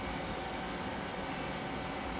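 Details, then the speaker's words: PlayStation 3 console fan roaring at full speed while running GTA 5, with a CPU temperature warning after a while; constant rushing roar, overheating suspected from dried-out thermal paste, which is to be replaced. "So you can hear that it's clearly still going uh full tilt. So probably the thermal paste is dried out and I'm going to replace it."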